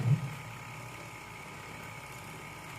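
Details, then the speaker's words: Washing machine after repair of a steel-scraping noise while running: gear case shaft cleaned, wash motor and gear case pulleys realigned; pulsator turning, heard from underneath, soft steady low hum, no scraping or knocking; runs quietly and normally. "Wala naman tayong naririnig na ingay. Smooth naman po yan."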